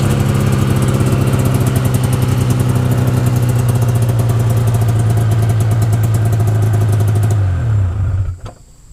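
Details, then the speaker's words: 1992 Yamaha Venture XL VT480 snowmobile two-stroke, started cold with choke after new plugs and carburetor adjustment; even steady idle burble, no knocks or misses, then clean shutoff; normal idle. "so i'm going to start it up this is a cold start i haven't started it in about a week so i'm gonna give it a little choke here a little throttle"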